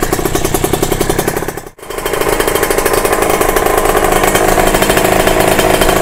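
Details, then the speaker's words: Kawasaki RR (ZX150) two-stroke after a new cylinder block, started with the power valve not fitted and held closed, air screw not yet adjusted: raspy buzz at fast revs, cuts out briefly then climbs back; idle too high, cause unknown. "Tapi tak tahu kenapa timing dia jadi tinggi macam gini Angin pun aku tak ada adjust lagi."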